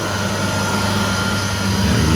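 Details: Candy CTDB H7A1TBE-80 integrated condenser tumble dryer, with the door switch overridden, after the motor capacitor fault was fixed: steady, even motor hum with a low mains-pitched drone, no grinding or knocking; drum motor running fine.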